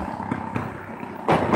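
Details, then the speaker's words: Traffic hiss with heavy metallic bangs as tyres roll over loose steel road plates covering a street trench for building water pipes, rocking in their bed; the banging goes on day and night. "It just happened three times. Are you hearing this? Are you hearing what I'm hearing? It's unbelievable. Ridiculous. And it's 24 hours a day."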